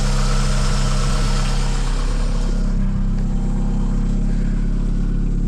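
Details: Heavily modified Mk2 Vauxhall Cavalier with C20LET engine, started after fitting a donor V-belt alternator to replace a dead one: catches and settles into a steady, even idle with a smooth low drone, no knocks; charging just under 13 V.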